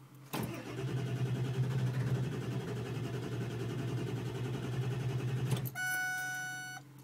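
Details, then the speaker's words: Ford diesel truck, unused a day, block-heated overnight, glow plugs cycled: several seconds of steady low cranking about three pulses a second that never fires; cranks but won't start. "glow plug lights off now I'm cranking it just died starting again"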